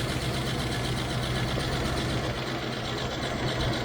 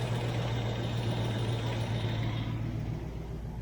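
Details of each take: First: 1993 Range Rover LSE V8 at cold start after an oil and filter change (oil looked thin): fast, even ticking over a rough idle, louder on one bank, quietening as it warms; owner suspects oil draining down from the tappets. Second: 1993 Range Rover LSE, rebuilt 4.2 V8 warming up: smooth even fast idle, top-end tappets that were clacking have gone quiet; oil pressure about 25 psi at idle, about 35 psi at 2,000 rpm; normal idle, thin oil suspected.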